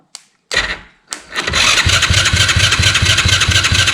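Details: Chinese 110cc ATV that sat outside for a couple of years, cranking: a couple of short bumps, then steady, even thumps about three per second with no firing. Spark is present but the plug boot is shot and the dash gets no signal; cause not confirmed.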